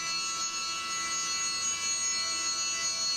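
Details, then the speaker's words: CNC mill, end mill on the AR15 gas block bottom side, coming around the side with a deeper cut; steady, piercing high-pitched ringing squeal as the end mill chatters, owner may slow the rpm. "now it comes around to the side and it takes a bit deeper cut and it starts to chatter a little bit so"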